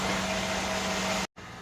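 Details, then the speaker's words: 2013 Mercedes GL550 (X166) AIRMATIC after the compressor (new Arnott P-3268) and valve distribution block were replaced. It airs up with a steady hum and some noise, then stops abruptly; normal operation, not the earlier cold-start buzz. "great it's airing up there is definitely some noise but it's not bad"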